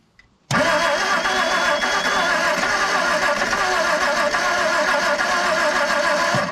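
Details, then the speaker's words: 1959 Edsel Ranger, last tagged 1973 and not run in 30+ years, with a new Blue Streak coil and some fuel: cranks about six seconds and seems to catch but never settles into an idle. Suspected excess Mystery Oil; points to be rechecked. "ain't firing no differently than she was before we got too much Mystery Oil that we ain't getting out of it yet"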